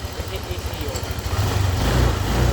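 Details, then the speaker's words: Honda Click scooter, warmed up, after resetting and reshaping the weak cam chain tensioner; soft even low putter at idle, no rattle or chatter from cam chain area, now quiet, normal idle. "Ito na pala yung nireset natin na tensioner. Yan, tahimik na. Mainit na to. Pinainit namin."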